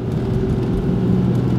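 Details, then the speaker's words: 1996 Oldsmobile Cutlass Ciera, GM 3100 engine, full throttle uphill, barely climbing: the engine bogs with a low labouring drone. A slight rod knock or upper-engine noise makes the knock sensor send a false signal, so the computer retards timing. This is with the sensor still plugged in. "this real bad right now we're barely making this hill punch it to the floor all the way"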